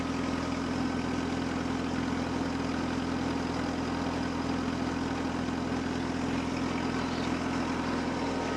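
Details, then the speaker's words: 1948 Ford 8N tractor, fully warmed up, almost 40 lbs oil pressure, earlier hydraulic howl gone: smooth, even, steady idle with no whine or howl from the hydraulics; slightly loose belt makes a little noise; healthy. "let's go and fire this thing up and uh you can hear how she sounds when she's all warmed up"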